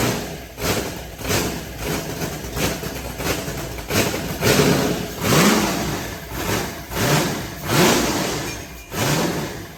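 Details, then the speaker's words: White Trash's freshly built engine at idle: gentle rev swells as it tries to pull the throttle open itself; no knocking or ticking, oil pressure present though the gauge cluster is bad; sounds healthy. "so it's trying to suck the throttle open by itself she sounds good"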